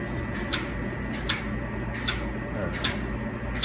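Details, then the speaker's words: Turkey barn water lines being flushed with cleanser before a new flock: sharp light clicks about every three-quarters of a second over steady water-line hiss; medicator dosing cleanser normally. "Hear that clicking? That's the medicators putting that cleanser in there."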